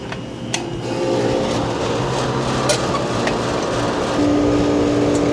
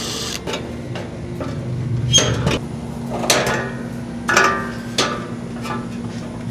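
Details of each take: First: Old Rheem-style AC condenser after fan motor replacement (original motor had no capacitor), first run: steady low hum from fan and compressor, slight vibration early, then smooth and quiet. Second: Old Rheem-style AC condenser, loud at night, capacitor-less original fan motor: low hum with irregular clicks and clatter from the fan, motor slipping on the blade; compressor sounds good, fan motor shot and replaced.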